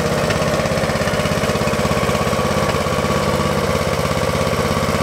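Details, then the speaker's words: Free Craftsman lawn tractor after carburetor cleaning: small engine idles lower with a steady chug, broken now and then by a missed beat; intermittent misfire, a failing ignition coil suspected, not confirmed. "just a miss every now and then that might be the ignition coil starting to crap out"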